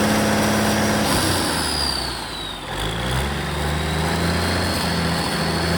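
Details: Caterpillar 3406E haul-truck diesel, rebuilt and re-engineered for a different application, first shop-floor test run with zero active codes: fires up and settles into a steady, even idle at about three and a half beats a second, no knocks; healthy.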